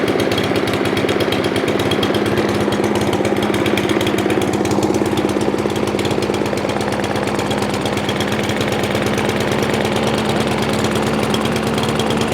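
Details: Craftsman M270 159cc single-cylinder electric-start mower, running after a fix for a no-start: buzzes evenly at high revs with a steady beat and no misses or sputter; running healthy.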